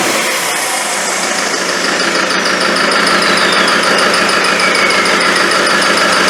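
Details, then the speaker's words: Land Rover 300Tdi diesel after rebuild, first start: steady, even clatter at about three firings a second, no knocks, burning off excess smoke; turbo hose not fitted; slight chirping from the front; running cleanly. "Burning off a bit of excess smoke there. That's interesting, isn't it?"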